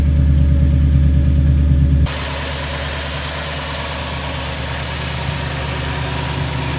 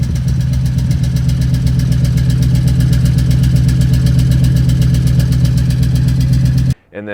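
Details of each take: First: 2002 Toyota Tundra 2UZ-FE V8, first start after new coil pack and spark plugs fixed cylinder 8 misfire (P0308): steady even idle, no stumble or skipped beats, hissy background; all cylinders firing cleanly, normal idle. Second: 2002 Toyota Tundra 2UZ-FE V8, warmed up: deep idle with thudding, uneven exhaust beat and occasional pop; misfire code P0308 on cylinder eight, bad ignition coil pack suspected.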